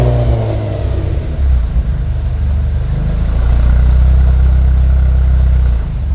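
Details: Ferrari 348 after new O2 sensor bungs and new O2 sensors were installed to fix a surging, high idle: it catches cleanly and settles into a steady, even low idle with no surging or hunting. Repair seems to have resolved it.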